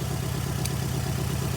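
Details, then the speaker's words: 2008 Nissan Altima 2.5 engine at idle with a cylinder 2 misfire code: low, lumpy idle with an uneven shake each beat; unplugging cylinder 1 worsens it, unplugging cylinder 2 changes nothing, diagnosed as a failed cylinder 2 ignition coil to be replaced. "Entonces mi diagnóstico es que su bobina de la segunda bobina no está sirviendo."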